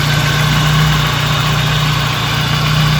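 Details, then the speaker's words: 1992 BMW 318i idling after A/C compressor bearing replacement: smooth, even idle with a steady low hum and no grinding or bearing growl from the accessory drive; the noise from the old compressor bearing is gone, normal idle. "So everything is okay. No more load sound from the compressor bearing."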